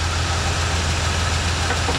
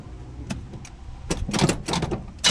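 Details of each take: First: 1986 Chevy C10 that sat a couple of years, running after revival: smooth, steady, even idle with no knocks or misses, running pretty good. Blow-by is clearing. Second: Mostly original 1986 Chevy C10 with HEI distributor, sat a couple of years. Restarted with the top fan shroud off and a couple of vacuum lines plugged: clicks, cranking, then it catches into a loud, lumpy run after long storage.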